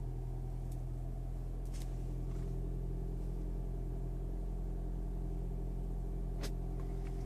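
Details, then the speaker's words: Toyota Prius, late morning at start-up: steady low engine drone with an uneven rough undertone and faint ticks; the noise is not present on every start, and the cause is unclear. "I'm just going to recording video one more time about the engine problem, engine noise."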